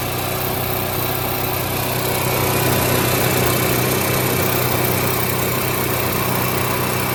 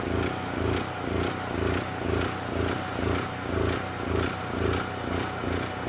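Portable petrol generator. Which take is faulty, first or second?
second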